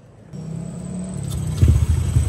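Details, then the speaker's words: Yamaha Aerox V2 scooter, freshly built 195cc Bulacan engine (63 bore, +4 crank, RS8 rod kit and 34mm throttle body, 180cc injector, RP pulley), new Shark Tip B4 exhaust, first start: catches and settles into smooth even rumble, revs cleanly; very quiet, healthy engine. "Kaya mga idol, tahimik na may makina niya. Ang tambucho natin gamit dito ay shark tip. Yan, tahimik na tahimik ang makina."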